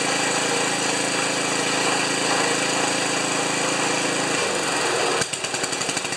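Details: Ariens 2+2 snowblower small engine, after replacing the ignition coil on spec (it stalled after half an hour): fast, steady rattling engine note holding even for four seconds, then dies away; runs normally.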